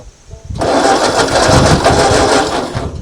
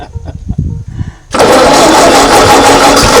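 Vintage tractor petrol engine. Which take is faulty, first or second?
first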